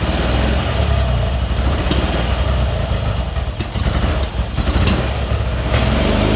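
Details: BMW R65 Airhead twin at idle: uneven, lumpy running with sharp intake pops every second or so. Left side popping, with light visible from the intake. Starts only with chokes on and lots of throttle; owner suspects it runs very lean.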